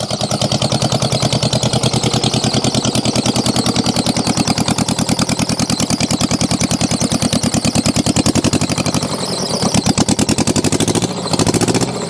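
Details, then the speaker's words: Mitsubishi diesel tractor saved from scrap, running after a long fight to start, helped by a second 10-count on the glow plugs: strong, regular chug about two beats a second, running fine. "oh my goodness that was a fight and a half good Lord that was a battle clamoring away pretty good now"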